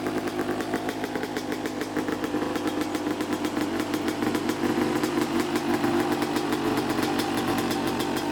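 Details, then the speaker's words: Neglected 2014 Yamaha YZ250 two-stroke dirt bike, trail-ridden and previously fouling plugs: crisp, rapid crackle with even pulses and small blips, no misfire or stumble; runs well, probably needs no carb clean. "so yeah runs pretty good um i don't even think it needs a carb clean"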